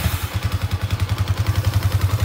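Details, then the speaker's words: Yamaha Exciter 150 after fixing clutch rattle (clacking): even, quick single-cylinder putter at idle, about eight pulses a second, no clacking from the clutch; runs smooth and healthy. "anh em nghe nè, êm chưa, êm ru chưa, không phải cạch chứ. Đấy, êm như gió thở, êm như xe quay luôn anh em ạ."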